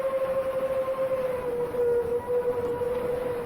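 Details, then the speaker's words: Seven-inch FPV quadcopter DVR audio before a crash: clear, steady high whistle over the motor hum that shifts slightly with throttle and appears at certain RPM ranges; not a loose prop, source from motors or props unconfirmed. "what I'm specifically noticing is that whistling sound comes in at certain RPM ranges I don't think it's loose"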